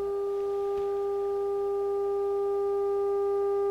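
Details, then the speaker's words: Harman Kardon 75+ amplifier during overhaul: steady test tone buzzy and distorted from switch-on, creeping louder by itself as it warms up; amplifier channel distortion. "so when i turn it on it uh starts with the distortion i'll show you here turn this up and as it warms up it gets louder"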